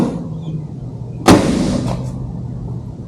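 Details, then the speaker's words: 2019+ Mercedes Sprinter van with newly installed PIAA Super Bass horns, grille back on: short loud deep blast with strong low hum, heard through the whole van; full, healthy sound. "Yeah, I could do that. I can hear it all the way through the van, so that's how it should sound."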